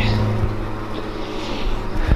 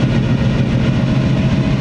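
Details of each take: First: Carbureted engine with a Weiand roots supercharger and two AVS2 carburetors, idling at about 400 rpm after the idle screws were evened: a very slow, deep, lumpy idle with an uneven pulse, barely running. Idle speed suspected too low. Rough idle. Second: Supercharged Weiand roots-blown carbureted engine with twin AVS2 carbs after idle and mixture tuning, idling about 800–900 rpm, air-fuel just under 14:1, temperature near 180. Deep, even thrum with regular firing, no miss or hunting; normal idle.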